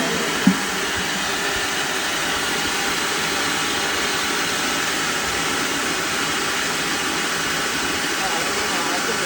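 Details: Small rice mill after repair of the polishing/whitening head and motor, test run: a steady, even roar and hiss with no knocks or grinding. Normal running.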